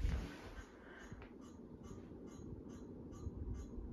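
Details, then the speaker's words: Harbor Breeze Bay series ceiling fan at a faster (medium) speed: faint high chirps about twice a second over a low fan hum. The intermittent squeak is believed to come from the set screws. "yeah you can hear making those squeaking sounds again from the set screws"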